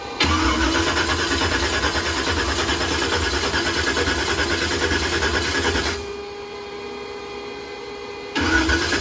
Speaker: i just got blasted golly i forgot how loud this thing is